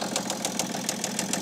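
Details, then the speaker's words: 2008 BMW E65 730d diesel, just fired up on a recharged, previously dead battery. Sharp metallic knocks about seven per second over a rough, uneven idle, top or bottom end unclear, seemingly not firing on all cylinders: engine knock at idle. "doesn't sound too good does it yeah that really does not sound the best is it it's hard to tell if it's top end or bottom end but yeah it doesn't seem like it's firing on all cylinders anyway"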